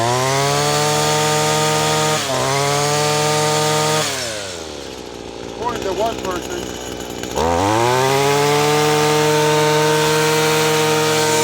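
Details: Echo SRM-2100 two-stroke grass trimmer, revived: screams at full throttle, drops to a low idle for a few seconds, then snaps cleanly back up; runs healthy.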